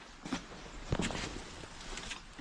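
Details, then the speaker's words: Infiniti G35, rear wheels off, rear suspension pulled by hand: a few dull irregular knocks; shocks and coils seem fine, rubber seated; source unclear, investigating rear clunking. "I don't know but you guys heard that Rocky noise when I was pulling on it so there's definitely something going on"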